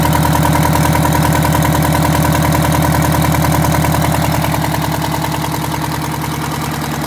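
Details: Detroit Diesel 8V92TA two-stroke in a Wanderlodge RV: loud, heavy idle beat about 200 pulses a minute with a rough, lumpy edge suggesting a miss. The engine had a bad injector and scored, cracked liners.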